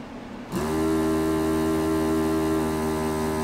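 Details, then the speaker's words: JBC DT530 angled desoldering iron with VN-C4 24V brushless pump, under 30 days old: steady even pump hum with no strain or pull-down, light says it is sucking but no suction; faulty pump suspected. "see the the the red light quit flashing so it's saying it's sucking but it's it's not sucking"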